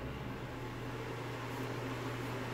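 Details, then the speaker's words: Bathroom exhaust fan on the single-pole switch circuit, power restored after replacing the failing switch: steady even whoosh with a low constant hum, no rattle or speed hunting; fan runs normally. "definitely getting current turn it on and there it runs"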